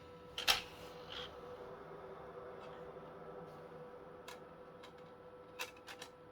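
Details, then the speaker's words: PS2 SCPH-39001 salvage console after laser repair: quiet steady whir with light clicks as the disc spins up and runs smoothly; drive sounds healthy, though the board may still be faulty. "That sounds a hell of a lot better already. She's spinning."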